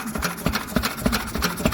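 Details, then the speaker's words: Lister engine with all-original magneto, after magneto chain tightening: even, steady low thumps about three or four a second with a crisp ring on each, no stumble; runs sweetly. "i did the work and put it in and we got her going but don't she run an absolute treat all original magneto"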